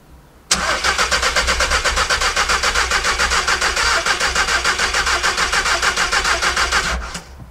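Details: VW Caddy van cranked with an additional battery clamped on: even cranking about three and a half turns a second for six seconds, never fires; crank no-start.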